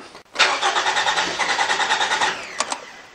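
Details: 2014 Toyota RAV4 2.5 litre with an intermittent no-start: the engine catches, runs unevenly about two seconds, then stalls with a couple of clicks. Suspected fault is the fuel pump relay, which runs hot; not yet confirmed.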